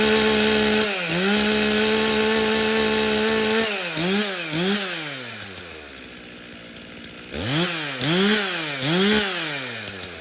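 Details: Stihl chainsaw (customer's MS 391 or MS170), dropped off because it would not start; refuelled with fuel that had some dirt in it, then started outside at night. It fires and runs clean, revving up and dropping back with crisp, even throttle response.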